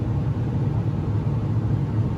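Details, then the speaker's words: Carrier gas furnace in heat mode: constant deep uneven rumble with slight wavering throb from draft inducer (exhaust fan) motor with worn bearings. "anyway, yeah, that's just an example of what the furnace usually sounds like when the furnace exhaust motor goes bad."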